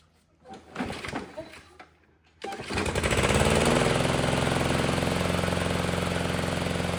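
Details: Toro mower with Briggs & Stratton engine (model 104M02-0010-F1) after reed valve replacement fixed oil blowing through the air filter: fires on the pull and settles into a steady, even buzz; oil leak cured, though a carburetor issue is suspected.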